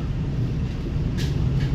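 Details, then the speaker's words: ÖBB train interior: loud steady low rumble with random irregular sharp knocking on top; speaker notes similar coaches in Hungary are suspected of door knocking, cause unconfirmed. "az egyetlen dolog ami egy kicsit is zavarhatja az itt az ót ez a random kopogás"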